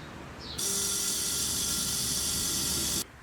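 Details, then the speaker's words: 1930 Model A chopped hot rod, long laid up. Steady high electric whine for about 2.5 s, then it cuts: the fuel pump spins but builds no pressure; owner suspects the beveled vanes aren't sealing against the bore. "So I think it didn't have pressure because if you look very carefully, it might be hard to see on camera, those little veins have a beveled edge, and the beveled edge needs to wipe or scrape the inside of that bore with centrifugal force."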